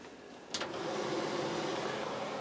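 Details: RV range hood exhaust fan, after fixing a funny noise it made while running: click at switch-on, then steady even whoosh of air with no rattle or scraping; fan now runs smoothly.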